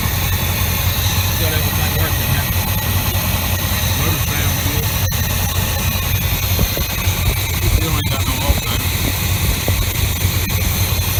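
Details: 1988 Chevy Silverado C30/C35 dually wrecker, 454 big-block with emissions equipment removed, idling: deep steady rumble, even and unbroken, no knocks or misses; temperature and oil pressure good, alternator not working.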